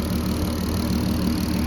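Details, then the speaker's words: Turbocharged, remapped Mk5 VW Golf R32 after its build and first four-mile drive: a smooth, even idle with light, quick clicking from the noisy injectors under a plastic inlet manifold; running healthily. "the clicking you can hear is actually the injectors pretty noisy to be fair didn't think they'd be that noisy"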